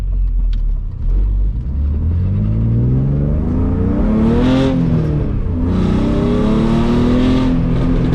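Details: BMW E46 with M52 engine and newly installed headers, no resonator, driven at higher rpm under load: a loud, raspy drone rising with revs and a small backfire pop. It sounds terrible but runs fine; a resonator is to be added.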